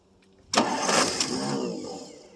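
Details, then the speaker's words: 1963 Ford Thunderbird, 390 four-barrel, cold start after about 3 years sitting: after a pause the engine suddenly fires and catches on poured priming fuel, roaring up and settling slowly; hard starting, then runs quiet and smooth apart from a noisy power steering pump. "Again. Well, she runs."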